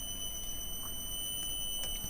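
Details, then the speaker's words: 4-pole 0.18 kW induction motor on a Commander C200 variable speed drive at low speed, gripped by hand as a load: a steady high drive whine over an even hum. It keeps good torque, and low-speed running is normal and excellent. "so that's performing very nicely the low speed performance is excellent"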